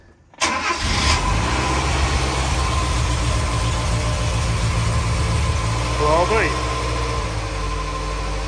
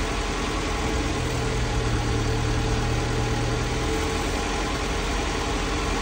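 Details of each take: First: Mazda E1600 Bongo ute being brought back to life, choke on, fuel pump running: a brief crank, then the engine catches at once and settles into a steady, even idle with one short blip. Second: Mazda E1600 Bongo ute, just revived: fuel pump primed, started on choke, radiator low on water. Steady but slightly lumpy idle with a low rumble that holds only on choke. Owner thinks the idle screw needs adjusting.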